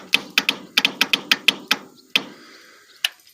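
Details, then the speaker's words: Bolens QT17 garden tractor with a good battery fitted: about a dozen sharp dry solenoid clicks over three seconds and no cranking; engine may be seized from sitting or from running out of oil. "it doesn't crank over it clicks you can hear the solenoid click but uh the engine might be stuck possibly from years of sitting"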